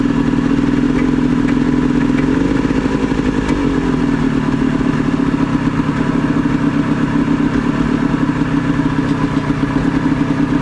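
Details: Ski-Doo Mach 1 700 triple-cylinder two-stroke snowmobile, previously seized, first run: popping and clattering at low speed, note dipping and stumbling, won't hold idle; owner plans to adjust the throttle/idle screw.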